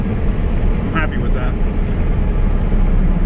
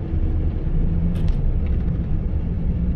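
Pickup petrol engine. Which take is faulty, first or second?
second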